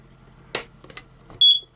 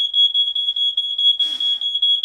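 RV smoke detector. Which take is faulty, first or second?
first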